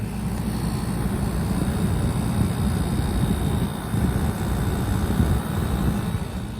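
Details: Black+Decker portable air conditioner with heat mode, first startup in heat mode, not yet warm: steady, even low drone with rush of airflow, no knocks or rattles; compressor starting and running normally.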